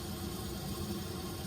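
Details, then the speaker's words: Watkins hot tub after replacing a burned-out circulation pump: quiet, steady low hum with water rushing through, fluid visibly moving again; the new pump runs evenly with no grinding or rattle. "So now you can barely see the fluid moving, but it's going again, and this is what's been missing."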